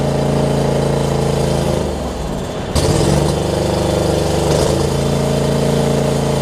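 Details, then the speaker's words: John Deere LX279 riding mower, liquid-cooled engine, started with empty carb bowl after cranking, hours unknown: quick steady beat that dips and stumbles briefly, then settles to an even run; rough at first, improving as it runs. "All right. Didn't like it when we first cranked it up. Wow, cranked it up, but seems like it's getting better. It might just be a characteristic of this liquid-cooled engine too."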